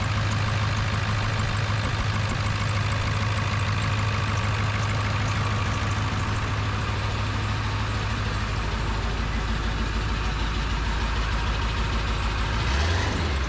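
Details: Ford 7.3 Powerstroke diesel after new turbo, plenums, up pipes, exhaust, oil crossover kit and fuel bowl reseal: deep, even rumble with a steady firing beat and no knocks or misses; healthy idle.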